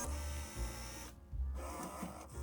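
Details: Magicard Tango 2E ID card printer after fixing a flipper-jammed error: short motor whirs and soft low clunks as the card is drawn through in even steps, no grinding or jamming; normal card feed.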